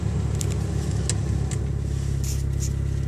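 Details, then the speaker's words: 1989 Geo Tracker, cold start now at operating temperature, idle falling from 1,000 to 900 rpm: steady low idle with light, quick ticking that slows as revs drop. Prominent valve tapping, likely loose valve lash. "yeah you should be able to hear that in the video now we are now at a thousand rpm the valve tapping is pretty prominent now"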